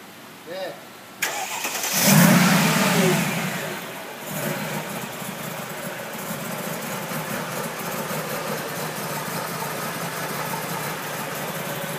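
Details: 2003 Mercedes G55 with Kleemann supercharger, first start: V8 cranks, flares and settles into an uneven, lumpy idle with misfiring, put down to installer errors with the fuel delivery system and the vacuum lines to the MAP sensor and switchover valve.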